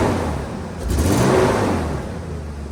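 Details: Nissan Hardbody pickup bought at auction, sat for months, fresh oil change and 5 gallons of fresh gas added to old fuel; short throttle blip with revs wavering unevenly; stumble on snap throttle, owner suspects spark plugs, plug wires or old gas.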